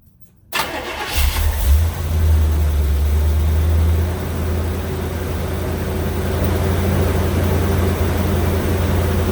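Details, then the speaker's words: 1975 Corvette Stingray, SBC 350 with a repaired Rochester Quadrajet, cold start with the choke closed after two throttle pumps. It catches almost immediately after a short crank and settles to a steady fast idle without hesitation; healthy cold start. "you notice it didn't hesitate and it's idling up faster"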